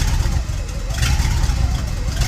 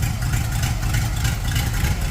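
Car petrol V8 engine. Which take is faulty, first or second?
second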